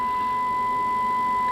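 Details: Kenwood TS-950S transceiver with an intermittently dead main receiver, DSP unit unplugged: clean, steady 1 kHz tone from a 1 µV FM test signal at 5 kHz deviation, well above faint hiss. Normal receiver sensitivity restored without any repair.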